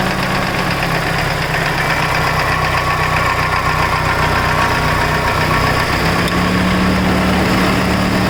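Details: Mitsubishi Evo 8 after a full head rebuild: new GSC zero-tick lifters, springs, retainers, valves and seals, seats cut, head resurfaced, Mobil 1 15W-50 with WIX 57092 filter. A light tick of about four per second rides over a steady idle; lifter tick suspected.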